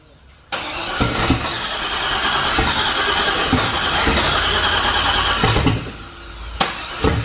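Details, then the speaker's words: Turbo LS truck engine in a Corvette at first start attempts: cranks, catches and stumbles unevenly for a few seconds, then dies, a half-start. Bad crank position sensor; two junkyard sensors had been bad before. "it's so close of course Kyle that sounds rowdy for that one second it's like half started are we sure this thing has eight cylinder or eight Pistons in it"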